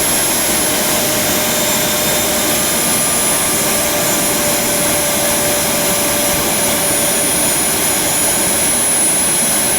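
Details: JetCat RC jet turbine after repair of starter clutch, worn bearings and deformed NGV causing blade rub: auto-start completes, steady even roar with constant high whistle, no surging or popping; idle exhaust temperature under 500°C, healthy.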